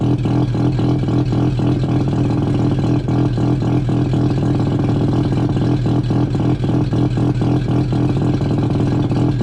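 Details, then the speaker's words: Triumph GT6+ project car, muffler removed, 2.5-inch straight down pipe: loud, raspy open-pipe exhaust with steady pulsing beat and no turbo whistle; turbo not really working. "Well, you can almost hear the turbo whine, can't you? Too bad the turbo isn't really working."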